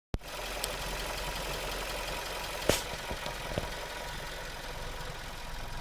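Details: Suzuki Swift Sport 1.6 petrol, built 11/2014, 25,000 km, warm: quiet, steady idle with a faint even hum and a couple of stray clicks; normal engine sound, matching other Swift Sports, light gearbox noise also normal.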